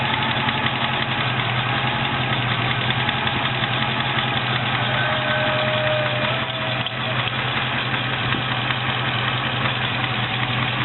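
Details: Triumph Stag V8 knock at warm idle after driving about 3 miles: faint, soft knock still audible beneath steady idle but much quieter than when cold.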